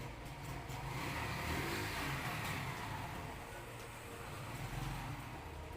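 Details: Yamaha Crux motorcycle after clutch plate fitting, in gear with clutch pulled: quiet, even low idle holding steady without dipping or stalling; normal idle, clutch working correctly.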